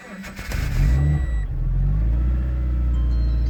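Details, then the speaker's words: Subaru BRZ with TRD cat-back exhaust, cold start at -16°C: starter grinds briefly, the engine catches rough with a loud flare, then settles to a low uneven idle. Hard cold start. "She really didn't like it."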